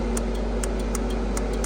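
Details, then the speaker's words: Donkey Stomper 400V-HG-4-2290 mobile CW transmitter under repair test (key transistor had come loose in shipping), radio keyed up: sharp, crisp relay clicks about five a second over a steady low hum. Receive is working and the relay is switching normally. "Alright, first thing we're gonna do is show you the receives working on it, the relay's working."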